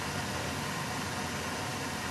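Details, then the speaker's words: Newly installed gas boiler replacing oil heat, running with cover off: steady, even soft rush with no knocks, rattles or surging; quiet and running normally. "that's it you'll never even hear it in the living room it just runs and with the cover on it's even quieter that's it just runs nice"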